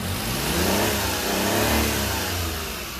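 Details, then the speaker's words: Mini truck, owner suspecting frame-mounted snorkel plugged with mouse debris starving air: engine speed sags and surges unevenly, nearly stalling then recovering; stumbling, cause not confirmed. "okay it's running but it's gonna die [Music] that runs out of air no not dying why is it not dying"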